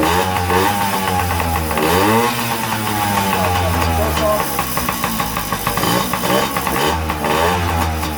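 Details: Yamaha PW50 two-stroke after flushing the float bowl, fuel on, choke on: fires, rises and falls with throttle, then settles to a steady idle; clean and healthy, no carburetor rebuild needed.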